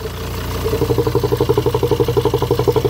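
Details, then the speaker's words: Same cheap used car at idle, oil filler cap removed: a fast pulsing hiss-chug at about three beats a second over the idle; owner suspects leaking vacuum engine mounts, found via internet search, and plans to test by plugging their vacuum line. "След кратко търсене в интернет, разбрах, че тази кола има вакуумни тампони на моторите и те водят до подобни проблеми."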